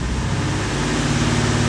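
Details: 1991 Corvette ZR1, LT5 V8 with 16 Multec injectors, with the secondary injector system engaged: steady low idle with a rough, uneven beat, as if dropping cylinders. Scope testing showed multiple shorted secondary injectors. Misfire from shorted fuel injectors.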